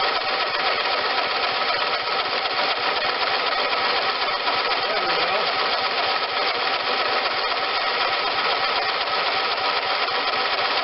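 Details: John Deere LT160 automatic lawn tractor, Kohler Command 16 hp, first start since acquired: hard steady high-speed roar never dropping to idle; sticky governor rod jammed carburetor at full throttle.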